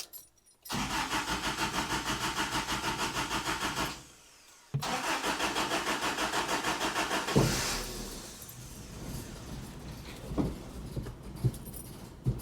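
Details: 1985 Toyota pickup, 22R engine, start after sitting 7 years in desert; long steady cranking, pause, more cranking, then catches and stumbles unevenly; rough running from gummed carburetor.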